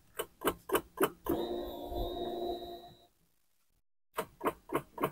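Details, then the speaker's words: Honda Beat injection scooter with new battery, after about half an hour of riding: starter gives quick even clicking, three or four per second, but cannot crank the engine; battery area suspected. "Ini udah nyala ya gak engak ngangkat teman-teman ya cuma di bagian mesin sini k gitu ya"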